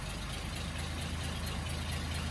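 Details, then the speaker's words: Daimler limousine petrol engine, first run in 32 years since 1990, carb not leaking, idling on its own: low, even idle with steady rumble, no misses, knocks or ticks; idling smoothly, slight condensation in exhaust. "And the carb is not leaking anywhere. It's just running tickety-boo."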